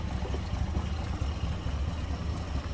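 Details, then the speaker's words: 1949 Dodge Coronet, 230 cu in flathead inline six with Gyromatic transmission, 6-volt system with new 8-volt battery for better cranking: low, steady, even idle burble with no knocks or misses; runs smoothly. "well it just gives you a lot better cranking power and hear how smooth that is sounds good"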